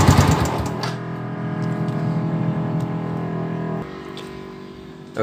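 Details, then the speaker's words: Yamaha Vixion (old model) with water in the oil, after flushing and refilling oil, engine running: steady but with a harsh rattly clatter over the note, badly abnormal; cause not yet found, teardown pending owner's decision. "Ini motor memang parah ya cuma dengan para sekali bunyinya nanti kita akan cerita ya"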